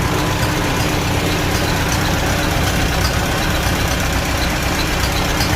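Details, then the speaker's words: Farmall Super A with Marvel-style carburetor, after fixes the day after first start: steady low idle with an even beat, smoother, no more governor surging or hunting. Normal idle. "sounds much better a lot smoother no more surging with the governor"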